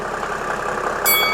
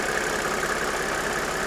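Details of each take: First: 1997 Mercedes E300 (W210) diesel at cold start with a hard, rattly knock at idle, a common fault on these diesels, caused by worn, carbon-fouled glow plugs (six fitted); this is before glow plug replacement. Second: 1997 Mercedes E300 (W210) diesel idling with a steady, even clatter and no misses after its six worn glow plugs were replaced, and it sounds much better than before; normal idle.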